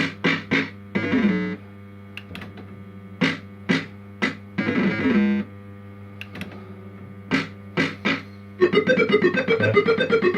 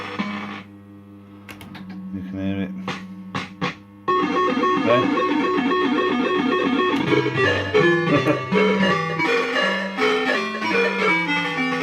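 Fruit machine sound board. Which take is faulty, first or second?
second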